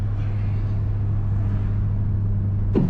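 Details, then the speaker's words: 1973 Datsun 240Z, brake caliper and line recently replaced, pulling right under braking; steady road rumble then one sharp loud clunk while braking, lots of movement at the front wheel; owner unsure, maybe lug nuts; cause unknown. "Jeez, that was a loud freaking noise. That's crazy. You guys heard that? That's not good. I don't know if it's the lug nuts or what, but there's a lot of movement in there."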